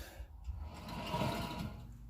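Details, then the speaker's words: Toyota Tacoma 4x4, front wheel jacked up and the hub spun by hand without load: a rough, gritty whir from a worn hub bearing. On the road it howls louder as speed rises. "you can tell that the it's the bearing for sure H bearing"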